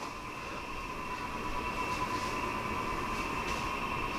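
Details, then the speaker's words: Ductless mini-split indoor unit after cleaning fan and evaporator coil, cooling at maximum fan: steady air rush with faint constant hum, no rattle or ticking; fan runs smooth and quiet. "Yeah, I don't know. It's quiet enough. I don't hear the fan rattling, which is the big thing."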